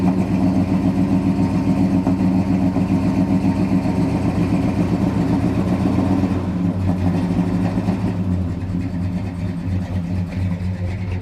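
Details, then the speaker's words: 1971 Dodge Sweptline big-block V8 whose crankcase filled with gas and whose rear cylinders were hydrolocked; plugs are fuel-fouled. Uneven lumpy idle that sags and stumbles, still missing and hitting on about seven cylinders, with blue oily smoke from the passenger bank; rich misfire from a carburetor float needle not seating. "Still got a miss. I think we got hitting on about 7 now. Man, she just drowned in fuel."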